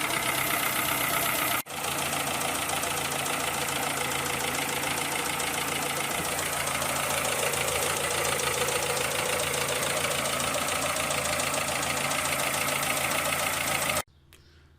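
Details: 2003 petrol Citroën C3, used, bought four months earlier, no overheating or oil loss: fast, light ticking about four per second over a steady idle; sounds like valve train noise, possibly valve clearance needing adjustment.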